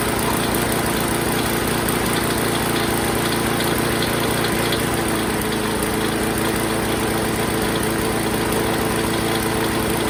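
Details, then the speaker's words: Craftsman 21-inch mower, Briggs and Stratton 6.5 hp, after carb clean, fueled and primed: steady fast idle with a constant tinny rattle from loose bolts and hanging exhaust; otherwise sounds good, still needs air filter, tightening, probably a spark plug. "all right it sounds pretty good other than everything rattling"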